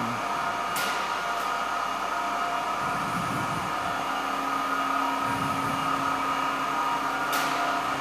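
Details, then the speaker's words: 1924 Alexanderson alternator at SAQ Grimeton running at speed for a 17.2 kHz transmission, motor voltage brought from 2,100 to about 1,900–2,000 V to hold motor speed, which sets the frequency; steady even hum with constant high singing tone, no knocks or surges; normal running. "You hear that very much is about controlling the motor speed, because the frequency is directly related to the motor speed."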